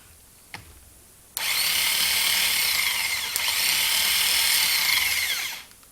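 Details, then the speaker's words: Bench test run of a freshly rebuilt Delco starter from a Chevrolet 4.6 V6, reassembled with field case bolts tightened: high, even whir that spins up instantly, holds steady about four seconds and coasts down smoothly; normal healthy starter. "At this point we can we'll set our starter up and actually give it a test run."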